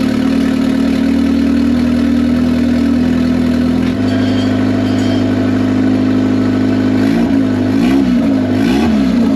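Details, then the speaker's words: $500 Honda Civic (manual swap, Hondata) after a cheap T04E turbo build, first start with an open downpipe: steady even idle with clean throttle blips that rise and settle smoothly, no knocks or rattles, a healthy-running turbo engine. "oh SS pretty goody actually ran really good guys I'm super happy with it"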